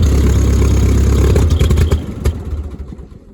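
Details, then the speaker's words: Old Ford 2N tractor with badly worn spark plug wires, carburetor also to be checked: uneven lumpy firing with clattery surges that sag and fade as it stumbles; rough running, unfit to drive, soon died; cause not confirmed. "Nah, it sounds awful. Yeah, this thing ain't no condition to drive."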